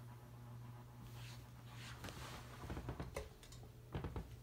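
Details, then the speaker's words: Dynasty Hugger 52-inch ceiling fan from January 1988 on medium speed: steady low hum with a buzzy edge and a few knocks. The motor vibrates against its mounting bracket and partly the housing. Humming is worst on medium. "There we go. It's just vibrating against the housing, that's all. Not the housing, the mounting bracket. And partially the housing too, I'd say. But yeah, it hums quite a bit on medium speed."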